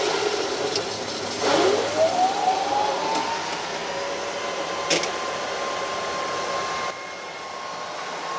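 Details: Microhydro turbine at 116 psi, first start of the season after new hoses, retried with the supply valve opened fully: whooshing water spray with a whine rising over a few seconds then holding steady; up to speed, running normally.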